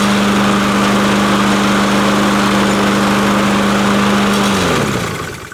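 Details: Curbside-found mower with Honda 160cc engine, left with fuel valve off; after turning fuel valve on it starts: steady even drone at constant speed with no misses, then winds down smoothly at shutoff; normal running.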